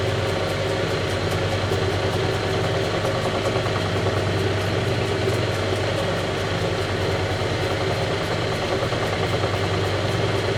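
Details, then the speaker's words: Vintage Lortone NS/8 lapidary arbor running with the water on after rehab: constant rumble throbbing about twice a second under the water hiss from a bent drive belt; owner hopes the belt will reform with use and heat. "And it's not so rigid that it shouldn't, hopefully, upon some extended use, kind of retake its form and heat up a little bit and be just fine. But right now it's causing a lot of rumbling on the machine."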